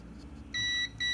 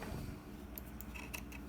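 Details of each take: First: Kärcher WD 1 vacuum cleaner that won't switch on, multimeter continuity test: two short high beeps across the lead show continuity; motor winding wire snapped at the terminal, breaking contact. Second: Kärcher WD 1 vacuum that won't switch on: multimeter on the motor field winding gives no reading from one brush terminal, then a steady high beep with brief dropouts from the other side, showing continuity; winding intact.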